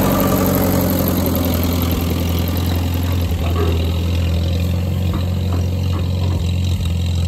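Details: Grandpa's old tractor idling just after getting it started again, once the fuel was pulled: a steady, even, smooth low thrum with no knocks, misses or surging. Normal idle.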